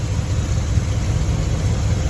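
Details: Small-block Chevy V8 after setting timing, initial 12 degrees, total 34 degrees around 2800 rpm: steady even low idle rumble with no misses, knocks or ticks; idles smoothly.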